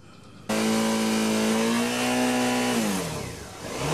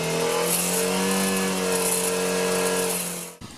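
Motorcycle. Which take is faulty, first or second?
second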